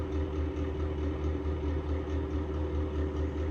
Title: Exhaust fan bad bearings part 2